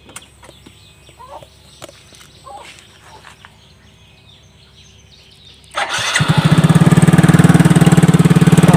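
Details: Yamaha Mio scooter that stuttered and died when throttled, after cleaning the throttle body and reassembly: quiet at first, then fires at about six seconds and settles into a steady, even, healthy idle.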